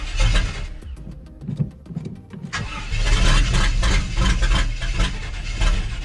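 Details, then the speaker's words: Square-body Chevy Suburban, carburetor swapped to a known-good unit, vacuum ports plugged, timing advanced: cranking with a brief catch, then the starter keeps whirring and grinding after the crank; the starter is stuck engaged again. "second starter stuck again well that's no bueno"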